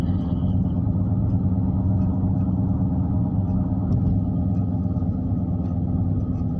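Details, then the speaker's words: Cruising vehicle with a low, steady roar under the road noise from the right front wheel, louder than the other tyres; a worn right front wheel bearing was later confirmed. "we're trying to see what's wrong with this uh this right front wheel seem like it's roaring like it might be uh ball Burns in the wheel or something"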